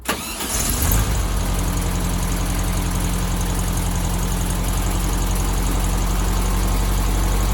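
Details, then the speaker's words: 1972 VW Beetle 1200 after re-adjusting loose valve timing, before an oil change: a quick start, then an even, steady idle with a soft low chuff and no loud valve clatter; sounds better than before and healthy. "wow it's already here just how much better it sounds um okay so the pressure light's gone out so that's good news"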